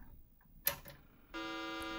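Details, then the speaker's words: Tandy PC fitted with the Western Digital FileCard controller from a 30+ year old Samsung SPC-3000V, no hard drive: click at power-on then a continuous unbroken high beep; failing POST, cause suspected, not confirmed. "now that doesn't sound good I think this is the tandd telling me that it is unable to post and unable to start the CPU or whatever but definitely something is wrong"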